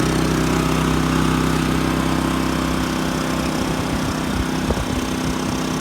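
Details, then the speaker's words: New Champion 3400 W dual fuel inverter generator, model 100263, on gasoline, heard from five or six feet: steady, even constant-pitch hum, no surging, misses or knocks; running normally. "let's step back about 25 feet there's 25 feet precisely measured and you and I can have a great conversation with it right there"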